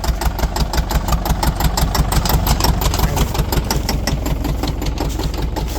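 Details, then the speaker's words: Bulldozer diesel, running again after repair with its track refitted and adjustments made, clearing trees: loud, steady clatter at a constant beat with no misses or knocks. Normal running, though it later wouldn't shut down even after the fuel was shut off. "I don't know if you can hear me over the sound of that thing. It makes some noise, boy. But I finally got it running, got the track back on it, got everything adjusted properly, and I'm actually starting to make progress."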